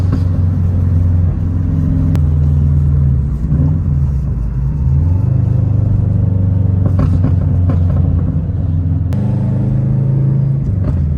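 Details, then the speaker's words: Subaru WRX without resonator, after fixing a raspy exhaust leak thought to be from a missing exhaust manifold nut: deep steady exhaust drone rising and falling smoothly with throttle, no rasp or ticking; exhaust sounds sealed. "the car sounds a little bit better so I'm assuming that one of the nuts which is three nuts for the exhaust manifold one of them left the chat early"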